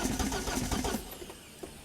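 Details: Corsa B with a freshly rebuilt, previously seized C20XE on carburettors, first start attempt: the starter churns steadily without catching; 4-bar fuel pump suspected of overpowering the carbs (rated about 2–2.5 bar) and flooding it.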